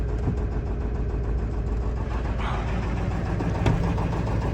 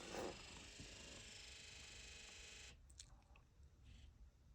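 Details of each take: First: Cheap auction 7.3 Powerstroke diesel truck said to burn lots of oil, started without a glow plug light, not even smoky: a steady diesel clatter at idle with an even beat and no misfire or heavy knock. Normal idle. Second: 7.3 Powerstroke diesel during key-on injector electrical buzz test via scan tool: steady raspy buzz under three seconds then stops; truck has running issues, IDM codes pulled, injectors suspected faulty.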